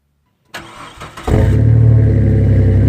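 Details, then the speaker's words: 5.9 Dodge Cummins diesel: steady starter cranking at about 220 compression pulses a minute, never fires; rail pressure only about 1,700 psi against a 5,500 psi demand, crank no start from no fuel pressure. "crank the engine and doesn't fire we have no fuel pressure"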